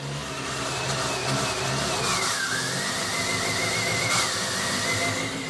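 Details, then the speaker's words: Fiat Panda 4x4 with its turbo kit removed, after plugs were cleaned and all leads refitted: under light steady throttle the revs climb and sag unevenly every second or so, running very unevenly. Cause not yet found. Hunting engine speed. "The engine is going up and down badly. I'm just going to try to see if I can make it idle."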